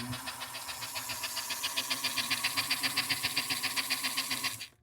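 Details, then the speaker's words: 1952 American Flyer K325 Hudson locomotive after a tune-up with a new wire harness, smoke unit unplugged, running in reverse: even motor buzz with light ticking about four per second, a little slow in reverse but running well. "So we got an engine that's moving really well. It's a little bit slow in reverse, but forward is breakneck speed, so I think that's good."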